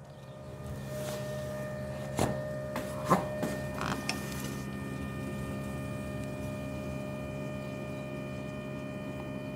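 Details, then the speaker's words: BMW 335d E90 with M57 diesel engine after a fuel filter change. The fuel pump is activated through an OBD actuation test to prime and bleed the system; a constant faint whine and sloshing hold steady under a few early clicks. "okay you can hear the pump hopefully hopefully you guys can hear that sloshing"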